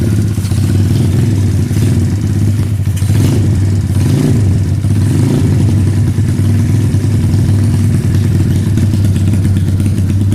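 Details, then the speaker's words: 2013 SSR 110cc full-manual single-cylinder pit bike after a valve lash adjustment cured its rattle: a steady even thump at a slightly fast idle with no top-end ticking. The idle is high from a sticky, incorrect throttle cable. "I'm gonna have him start it up right now so you guys can kind of hear it nice there you guys can see it pull out that pipe it's on pretty gnarly"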